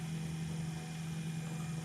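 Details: EPC RM400 speed control auger gear motor restarted after relay switch turned back on: smooth, constant low hum with no grinding, clicks or surging. Normal running.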